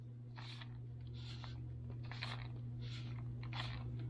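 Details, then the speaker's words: Traxxas T-Maxx 2.5 RC truck brakes after reassembly, pads screwed down too tight: soft scraping swish every three-quarters second over a low hum as the pads drag on the disc. "so if you tighten them down too tight they will actually the brake pads will actually rub on the disc like you are engaging your brakes"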